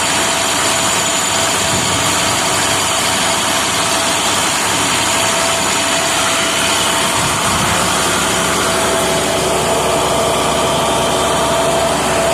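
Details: Neglected trash truck diesel, sat three years, being serviced: loud, even roar held at a constant high idle with no knocks or misses; engine sounds healthy.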